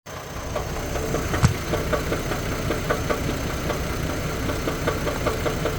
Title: engine knock 4/12/24